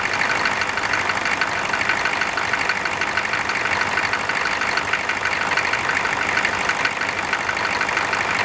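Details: Air-cooled engine cranked cold with its fan just installed: a busy idle with a loud fan rush and a steady tappety patter of about two beats a second, running evenly. Normal cold idle.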